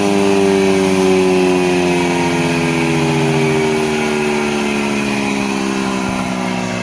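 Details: Shredder (trituradeira) after making its new bottom cover, checked that the rotor no longer catches the lower plate: steady, even hum drifting slightly lower in pitch, no rubbing, rattling or knocking. Normal running.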